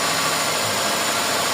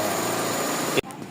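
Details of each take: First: Toyota Corolla GLI 4A-FE engine with idle and misfire complaint, previously worked on elsewhere, new distributor: fast, even, steady idle running too high; mechanic suspects prior incorrect work is causing the high idle. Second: GLI 4A-FE engine after repair of idle and misfire issue: steady, even idle hum with no stumble, miss or hunting; idle now normal, though idle-up reacts slowly with aircon on.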